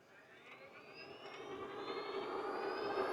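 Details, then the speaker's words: AliExpress four-wheel quadcycle fitted with CYC Photon Gen 2 mid-drive kit, 52V 20Ah battery, assist level 2, first ride: soft smooth motor whir rising gently in pitch with speed, no clicks or grinding; healthy, nearly silent motor. "Oh, it's so smooth. Can't even hear the motor."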